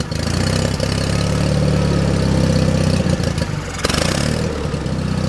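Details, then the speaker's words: John Deere 316 lawn tractor, about 36°F cold day: low, uneven idle lopes and stumbles, never settles; owner suspects clogged carburetor idle circuit jet, plans to open carburetor top. Rough idle, cause unconfirmed. "I think the idle circuit jet is clogged up in that thing so I'm going to have to go and get to that"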